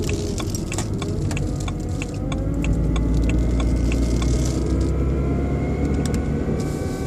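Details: BMW 120i E87 idling: faint rising motor-like whine with light ticking about three per second, seemingly from behind the airbox; oil change did not cure it, cause unknown.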